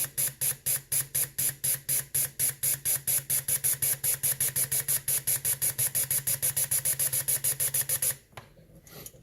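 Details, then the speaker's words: BMW E36 M3 Ford Racing fuel injector pressurized with cleaner on the bench and switched 10-15 times to break loose contamination; rapid, evenly spaced sharp ticks for about eight seconds, then quiet: injector clicking normally. "all right so I'm also going to try and break loose any contamination on the switch I'm going to do this by pressurizing the injector and working the switch to about ten you know 10-15 times"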